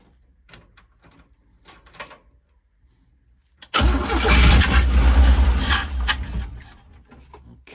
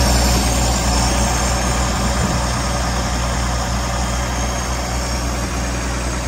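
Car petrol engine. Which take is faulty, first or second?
first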